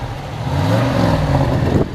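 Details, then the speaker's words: 1996 Cadillac Eldorado, 4.6 Northstar 32-valve V8, 275 hp, about 17,000 original miles, heard at the rear dual exhaust: deep, even rumble with no ticks, pops or leaks. Normal exhaust note. "we'll walk around the back here so you can listen to that it's got dual exhaust"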